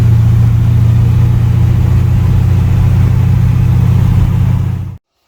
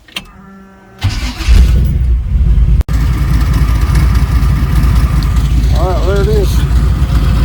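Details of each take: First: Jesse's Chevy C20 truck with built 408 small block (built for boost, turbo planned), after roadside tune: steady deep even idle rumble, no misses or knocks until switched off; idling and running great. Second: Chevy C20 being turbocharged, first start with the exhaust fitted and only one spark plug installed: engine cranks, catches, then runs rough with a loping stumble at idle, a noticeable miss from the missing plugs.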